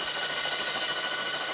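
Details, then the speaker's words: 1973 Honda CB750 four-cylinder freed from seizure with ATF, cranked on the electric starter: rapid, even chattering as the engine turns freely with compression returning. "Hey, it sounds like compression."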